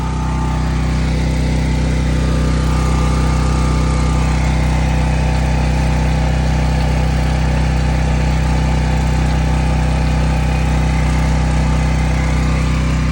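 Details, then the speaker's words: New Sportsman 4000 dual fuel gas/propane generator restarted within a crank or two after oil check, running loud at 120 volt setting; steady even drone, no misses or surging, normal running. "I'm going to shut it off it's too loud so it started back within a crank or two couple tranks"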